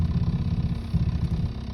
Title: Piston slap noise?